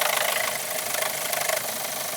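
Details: Engine at idle: fast steady ticking knock over a harsh, tinny engine note keeping an even beat; internal knock, cause unclear.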